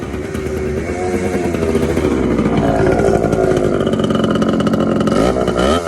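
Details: TC125 two-stroke dirt bike after a carb clean and a new fuel line with filter, on a cold day: crisp ring climbing and falling cleanly with throttle, no bogging or sputter; pulls strongly, runs right.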